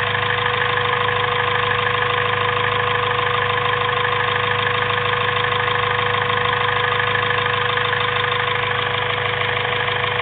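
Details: Honda B16A2 turbo build with CP 9:1 pistons, Eagle rods and Supertech valves, valvetrain and retainers: steady idle with regular tapping about three times a second over a constant tone. Cause not pinned down; abnormal engine noise at idle.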